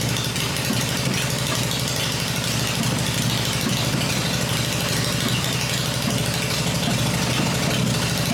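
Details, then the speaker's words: Freshly built Harley Evo V-twin first started on a test stand, with points ignition and the exhaust pipes covered so engine internals can be heard: a steady, even loping idle with no knocks or rattles. Normal. "but it's fired up it's running the engine's smooth I cover the exhaust pipes up and that way I can hear everything in the engine working without listening to the exhaust this motor sounds really good"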